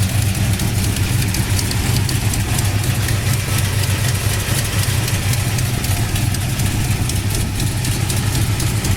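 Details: 1969 Plymouth Road Runner with Hooker competition ceramic-coated headers, overhauled engine: deep, even V8 idle with steady exhaust pulses and no ticking, knocking or stumble; engine runs good, sounds healthy.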